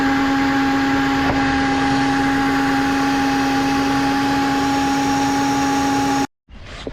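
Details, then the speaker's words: 1999 Lexus GS400 at start-up, belt tensioner bearing known bad but separate; power steering pump area found wet, looking like a leak: steady loud whine holding pitch over the engine for six seconds; owner believes power steering pump is whining. "But there's a noise that is not associated to that, and I believe it's coming from the power steering pump."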